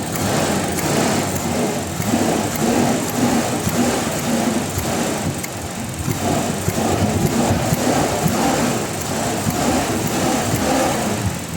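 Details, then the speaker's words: Toyota Revo with delayed throttle response, dropping idle and unstable idle, revved with hood open: a rough, uneven rattling rumble over the running note that rises with throttle. Source not pinned down; mechanic suspects the throttle. "Kaya uulitin ko yung pag-rev ko na meron kasi siyang lumalabas na ingay na rug, gumaganon siya"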